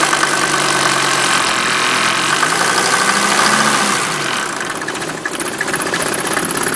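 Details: 1988 Mercedes 190D diesel running on waste vegetable oil, heavy smoke and fumes from the tailpipe: at idle there is a loud, fairly steady metallic clanging about three per second; the cause is unknown.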